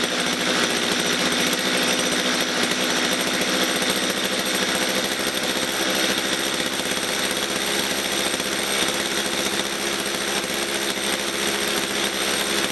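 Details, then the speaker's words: Stihl MS230 chainsaw that bogs at full revs and stalls when set down: rasping two-stroke idle, low and uneven, about three stumbling pulses a second; rough, too-slow idle, owner suspects carburettor fuel mixture setting. "it's sounding rough it's it's idling too slow over it's just not sounding right at all"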